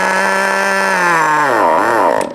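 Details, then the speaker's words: FTX Carnage nitro RC truck, GO .18 engine, low-speed needle pinch test: high steady scream, then pitch sags, wavers and dies out in about 4 seconds; low-speed needle correctly set (3–4 seconds is good). "So that took 4 seconds to quit. So I would actually say that this is a good time, and 3 to 4 seconds is good."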